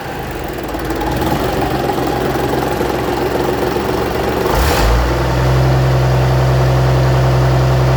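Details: 1965 Gardner 6LXB 180 six-cylinder marine diesel on a test stand after rebuild following failure at 80 hours since a previous overhaul: first test run, settles into a steady, even low rumble with no knocks or misses; normal running.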